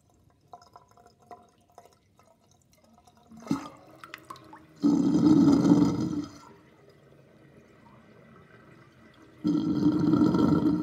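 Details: Sink drain with a 38.5 mm plug on a chain. Two loud bursts of gurgling, about a second each, as water drains, with quiet drips between. Sink drain gurgling.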